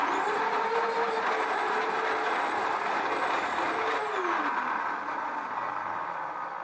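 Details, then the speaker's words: Old Samsung SC4034 vacuum cleaner, owner complains of poor performance and strong humming: rough roar with wavering mid-pitched hum; fault is in the motor itself (worn bearing, shorted winding), replaced with a 1560 W Samsung motor; failing vacuum cleaner motor. "вы поняли проблема конечно же в самом моторе пылесоса"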